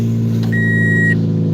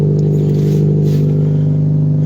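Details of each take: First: Vehicle at 115,000 miles, started after sitting about two weeks, on a borrowed battery: smooth, even low hum with no stumbles or knocks and a chime over it; usually starts rough then smooths out, idling cleanly now. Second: Junk car with rotted-out exhaust at steady idle: deep, loud drone with an even low beat and no muffling, one of the loudest cars started; the exhaust leak is suspected from the rotted exhaust.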